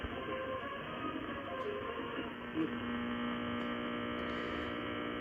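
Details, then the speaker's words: Constant low buzzing hum under AM-band hiss on a ham radio powered by an Astron linear DC supply plugged into AC mains; suspected household interference (refrigerator, dimmer switches), not confirmed. "I think that this area in here is from kind of the local stuff the refrigerator the dimmer switches that sort of thing but this is what it sounds like with this normal power supply"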